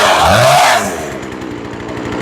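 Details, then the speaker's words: Chainsaw after carburettor replacement, high-speed needle being tuned: a high screaming rev drops into a burbling, uneven four-stroking rattle, meaning too much gas; the high-speed mixture is set too rich at high revs. "Sounds like we got a little too much gas going."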